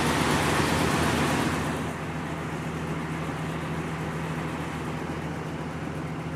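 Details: 2014 Tiffin 36LA motorhome diesel, just after an oil and filter change, run to circulate oil before rechecking the level: settles from a louder start into a steady, even low rumble at idle, no knocks or rattles; normal.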